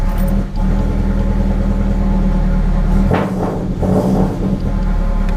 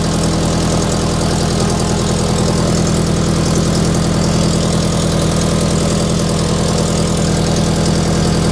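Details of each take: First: FR-S with unequal-length aftermarket header, after the header was resealed with copper gasket maker: deep, even exhaust rumble at idle and smooth revs, no ticking or puffing; leak fixed. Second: Toyota FRS with unequal-length aftermarket header idling with a rapid, raspy puffing tick in time with firing, an exhaust leak at the header gasket, louder outside than in the cabin.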